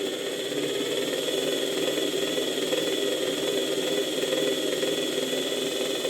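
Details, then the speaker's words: Nearly 100-year-old Electrolux VII vacuum motor on a voltage regulator, voltage raised: high hissing roar with rough crackle, clearly interrupted, irregular running and excessive brush sparking at the air outlet; owner suspects damaged rotor windings, unconfirmed. "Zwłaszcza jeżeli podniosę nieco napięcie praca silnika staje się wyraźnie przerywana nieregularna silnik też nie reaguje płynnie na stopniowe zmiany napięcia na regulatorze"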